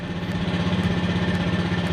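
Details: Honda PGM-FI motorcycle after TP sensor and ECM reset, MIL blink normal, run about 20 minutes: steady, even idle with a soft regular pulse and no knocks or misses; idling normally.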